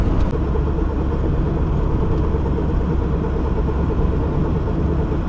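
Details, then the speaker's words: Car wheel hub bearing humming while driving: steady low rumbling drone and grinding, sometimes fading, slight vibration felt in the steering wheel; drone disappears when steering either way so the side is undetermined; owner suspects inner race spinning on the hub. "сейчас меньше гудит бывает пропадает даже слегка вибрация в руль отдаёт"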